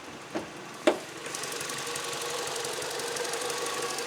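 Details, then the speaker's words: 2009 Mini One R56 1.4 L petrol at idle, engine malfunction light on, stuttering while driving and smelly exhaust: a couple of clicks, then a shaky idle that swells and wavers, traced to a degraded or failed O2 (lambda) sensor. "and if you listen to the engine it is not running very nice on idle it's a bit shaky and you can hear it going up and down a bit"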